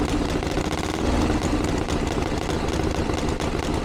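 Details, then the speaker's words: 1982 Harley-Davidson Ironhead Sportster after two years of tinkering, started on choke with timing reset; loud open-piped V-twin ticking over with even, lumpy beat, no misses. Healthy idle, though owner feels it's slightly lean under acceleration and needs further tuning. "Happy Days I can't believe that that's fantastic that's a lot better than it's ever been probably still needs a little bit of darling and it feels a little bit lean under acceleration but we got a basic starting point now to go from"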